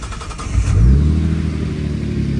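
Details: Nissan R33 Skyline warm start before a test drive: brief crank, then the engine catches and settles into a steady idle with no belt whistle.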